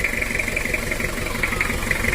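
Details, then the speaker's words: Toyota Kijang 2L diesel before overhaul, hard morning starts, idling with an even rapid knock and light metallic tick; mechanic suspects injector nozzle or tight valve clearance, with camshaft and liner wear noted. Suspected diesel idle knock. "Itu suara timbul suara kasar bisa saya pastikan di nosel atau setelan klep kurang pas ini kita hidupkan"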